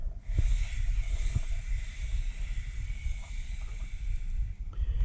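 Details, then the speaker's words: Free-spinning front motorcycle wheel after bearing replacement, rolling freely forward and back: soft hiss with loose low rumbles and thumps from the big ball bearings inside Centramatic wheel balancers; normal, not heard when riding. "That's the big ball bearings inside the centromatic wheel balancers."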